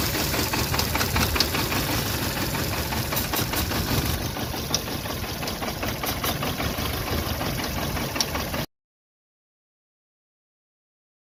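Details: VW Polo Vivo 1.4 CLP petrol engine idling roughly with an uneven, stumbling beat: random or multiple cylinder misfire traced to a heat-damaged, broken PCV breather pipe causing an air leak.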